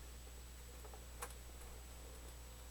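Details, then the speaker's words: Realistic SCR-8 boombox (14-778) cassette deck: faint steady motor hum and light ticks with no tape transport sound; motor and capstan turn but the reels don't, and play and fast forward do nothing. "can hear the motor run but nothing happens the wind starts and stops fast forward doesn't do anything"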